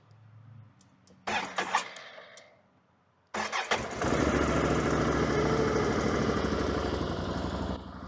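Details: 2022 Can-Am Outlander 650 XT after replacing a blown 5 A fuel-pump fuse: relay click, then cranks, catches and settles into an even idle about three and a half beats a second; starts cleanly, root cause of blowing fuse unresolved.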